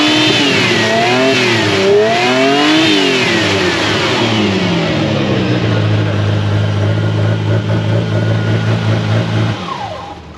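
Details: Ferrari (Ratarossa) just after fitting a belt, with the battery warning light now out: revs up and down a few times, then a smooth steady run with no belt slap, squeal or chirp. Belt seen bouncing slightly, to be tightened. Normal running.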